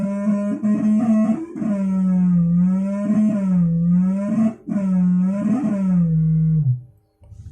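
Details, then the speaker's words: Analog 2-way audio crossover: wavering flute-like whistle swelling and breaking off when the knob is turned right, normal when turned left; oscillation caused by a faulty frequency potentiometer in one of the four orders. "Maaf tadi kalau ke kiri Dia normal Ya tapi kalau ke kanan dia tidak normal teman-teman"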